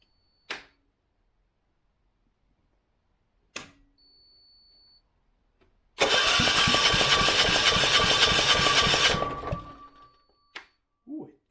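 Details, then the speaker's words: Kipor 6700TA diesel generator, Yanmar L100/186F engine, bought as non-runner: cranks with two starter bumps then ~3 s fast regular cranking, won't fire; air in fuel lines, compression fix doubted; cranks but fails to start. "And a big pop back out the intake there. Okay. Why would that be?"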